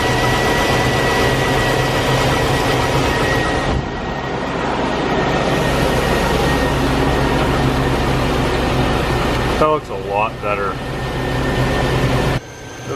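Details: 2004 Chevy Avalanche at idle after power steering cooler replacement: steady high whine over the idle hum, changing as load shifts; power steering pump aerating, fluid milky with air and reservoir nearly dry after fluid loss.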